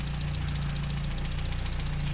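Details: 1959 Triumph TR3A during a pre-purchase inspection, idling: steady, even low idle with a smooth firing rhythm and no deep metallic knock or tapping from top or bottom end; coolant shows no bubbling and there is no smoke. Normal idle.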